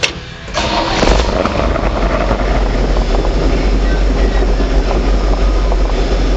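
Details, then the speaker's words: Red truck just after an oil and filter change, started to check oil pressure build-up. It cranks and catches within half a second, then settles into a steady, even idle with no knocks or ticks, about 38 psi at idle: normal start and idle. "Oil and filter change complete. Here, we'll fire it up, see how fast that oil pressure comes up."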